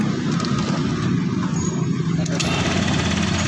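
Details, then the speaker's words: Honda Vario 150 LED scooter after the fault behind its engine ticking was fixed (tensioner suspected): an even, steady idle with no top-end ticking left, just a smooth small-engine hum; engine back to normal. "Tak ada suara tek tek nya guys Harusnya kan tadi ada sekarang nggak ada jadi kesimpulannya seperti ini guys Oke suara mesin sudah kembali normal guys"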